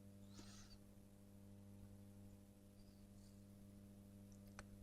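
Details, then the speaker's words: Columbia valve guitar amp with 6V6 output tubes, after changing cathode resistor to 220 ohm: steady low 100-120 Hz buzz with faint overtones that rises with the reverb control and vanishes with mid control full up; abnormal mains hum. "Well, that increases our hum and obviously speed and intensity. Okay, so we've definitely got an issue there. This is not normal operational noise for an amplifier of this type."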